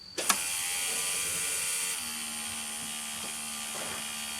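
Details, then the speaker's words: Ford New Holland LX865 skid steer, turbocharged three-cylinder diesel with contaminated fuel problem, key on after filter cleaning: click then steady smooth high whine and low hum as the electric lift pump fills the inline filter; normal lift pump running. "it's a good sound i can hear the pump pumping"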